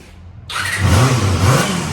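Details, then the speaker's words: Barn-find Honda MC19 CBR250RR four-cylinder, first start in 18 years, stored without gas: snaps into clean quick rev, smooth even note, no misses or knocks; normal running and revving. "but this thing runs actually pretty darn good it runs good enough where I feel like I could put it up for sale"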